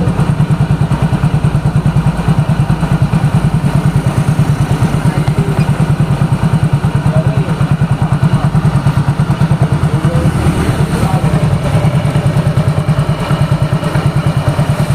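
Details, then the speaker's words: Yamaha Mio GT scooter, brought in for heavy pull and very rough engine noise, after repair and ISC/idle (value 22) reset: steady, even putter at idle with no knocks or rattles; engine now normal. "Alhamdulillah motor sudah beres semua permasalahan sudah ketemu motor sudah normal"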